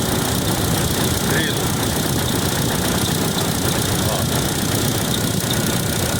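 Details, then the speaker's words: Chevrolet Tracker 2014 radiator fan running with the engine hot; steady fan rush with faint irregular high cricket-like chirps, traced to the fan motor, which gets replaced. "vamos hoje tentar identificar um barulho que tá acontecendo aqui na no ventilador um grilo quando ele esquenta fica incomodando muito e tem que procurar ver o que que é"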